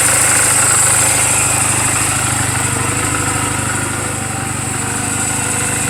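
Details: 2007 Honda Rebel 250 single-cylinder, 11,456 miles, idling in neutral after a recent valve clearance adjustment: a steady, even idle thump with no ticking, misses or hunting. This is a normal idle.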